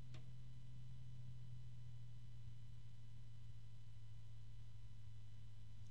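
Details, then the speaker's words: Antec P12 120mm PWM fan at low speed, below its roughly 10.8 V rated start voltage, with the microphone near the fan: a quiet, constant, very low-pitched drone with no ticking or rattle. "very low pitch noise from this fan even at low speed here how low can I go"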